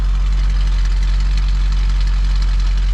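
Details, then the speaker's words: 1974 Ford Bronco after replacing both fuel tank sending units: deep, steady low rumble at idle with no knocks or misses; normal idle. "What a nice running rig, huh?"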